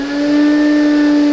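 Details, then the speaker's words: Lindhaus HF6 vacuum with electronic speed control, used secondhand, after cleaning; steady low hum at one pitch, motor sounds like it is dying, blamed on the previous owner's use; abnormal motor sound. "you can tell if you watched last the last vacuum of the month that motor sounds like that motor is dying and it's not a tribute to Lin house it's a tribute to the previous owner"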